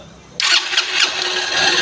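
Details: Honda Unicorn motorcycle that choked under load with no fault codes, after draining and refilling petrol and fitting a new fuel filter: catches at once, crisp throttle blips, settles into an even healthy run.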